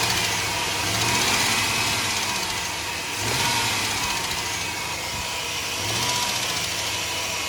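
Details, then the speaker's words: 2002 Chevrolet Suburban 5.3 LM7 V8 at idle with light blips: faint tapping from driver side; suspected valve train noise, persists with belt removed so not alternator or pulley; viewer suggested catalytic converter. "so that's the sound we're trying to solve here and uh my first guess that it was like the alternator or some pulley or something but uh we removed the belt and starting it without it and uh the the sound was still there"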